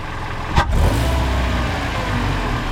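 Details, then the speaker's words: 2012 Hyundai Elantra exhaust after tightening the flange by a recently installed flex pipe with O2 sensor bung: light blips give a steady low rumble with no puffing at the flange, now sealed; a faint leak remains further back down the pipe. "That's pretty good, guys. I still hear a little bit, but it doesn't seem to be leaking at the flange right now."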